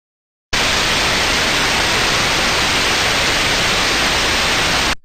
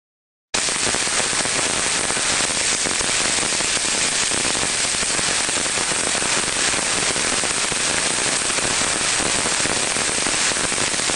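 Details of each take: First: so for example here an example sound of a good airing which research should sound smooth and uniform Second: we can hear from that sound there we're hearing now crackling sounds in there not very repetitive but again indicating a very early-stage problem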